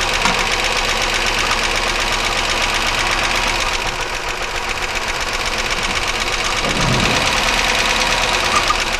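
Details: 1999 Chevy Malibu, 3100 V6, internal engine noise: a steady, sharp knock about four times a second while running. Unchanged when plug wires are pulled in a cylinder drop test; source not pinned down.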